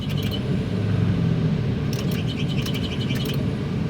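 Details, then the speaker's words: Mitsubishi Lancer, long unused, idling: short high bird-like chirps over a low rumble, present only with the AC on and gone with it off; owner first suspected the fan, now suspects the AC compressor belt. "Mukha sa compressor sa may belt. Kasi pagka hindi naka AC mode yung aircon, walang ingay."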